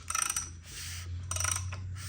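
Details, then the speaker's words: Chrysler SRT 378 cubic inch Hemi, not a stroker, heads off at machine shop, turned by hand: slow, even rasp of piston rings on cylinder walls, no scratching, knocks or binding; normal free rotation. "sounds pretty doesn't sound like it's scratching it just sounds like the beautiful sound of the piston rings rubbing against the cylinder wall"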